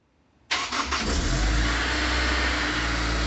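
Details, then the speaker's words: 2005 Honda S2000 with the F22C engine and 21,000 miles, first start after sitting a year under cover, on only its second battery: catches on the first crank and settles into a smooth, steady idle with no misfires or knocks. "like it's only been sitting for like a week the mighty f22c dig it"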